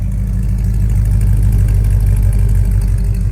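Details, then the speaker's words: 1999 Dodge Ram 1500 with a 5.2 (318) V8, fresh spark plugs, now warming up. The idle is loping and uneven with an occasional stumble that is easing. This is a years-long cold stumble that comes and goes; sensors and fuel pump were already checked or replaced. "but when you first started it's got that cold stumble and uh kind of comes and goes"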